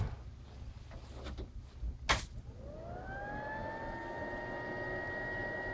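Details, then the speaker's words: Capcom CPS2 A board with original stock cooling fan, outside the cabinet: a thump, then a whirring tone climbs within a second to a steady high whine; very loud fan, before replacement with an ebm-papst 612 FL. "is right loud okay I'm going to pause it and put it inside the cabinet to hear how the cabinet muffles it"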